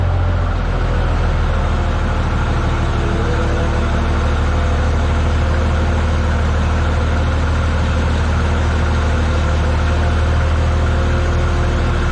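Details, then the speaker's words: Tractor (950) that had to be started by bridging unhooked safety-switch wires: deep, even idle with no knocks or misses, running smooth, normal idle. "Man, this thing runs smooth. Now, I'm just going to let it sit out here and idle."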